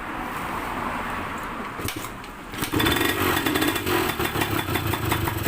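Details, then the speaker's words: Yamaha DT125MX two-stroke with square K carburetor being tuned: crackly idle picks up and runs harder as the air screw is opened from about 1.5 to 2 turns, settled at 2.5 turns. "เดี๋ยวผมจะลองคลายดูนะครับว่ารอบเครื่องจะแรงขึ้นไหมอันนี้2รอบนะครับ2รอบเสียงเครื่องมันแรงขึ้นนะครับ"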